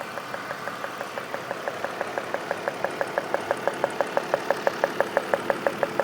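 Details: BMW M52 engine at idle: sharp, even ticks about three per second over a steady idle, a regular tapping whose cause isn't pinned down.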